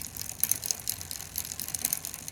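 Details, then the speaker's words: Bicycle rear derailleur sitting slightly to the right of the cassette cogs: quick, uneven light clicks while the pedals turn; the fix is turning the barrel adjuster to align it with the cogs. "it's a clicking noise and that's from this these are the this is the rear cassette or gears."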